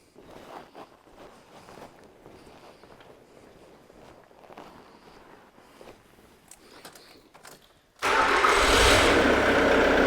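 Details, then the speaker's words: 2008 Jaguar X-Type 2.0 diesel that ran harsh, noisy and smoky, with fuel pressure regulator bypass-powered for testing: fires at once and settles into a steady, even run; normal running, proving the regulator supply fault. "well as you should be over here there the car is running or the engine is running properly now"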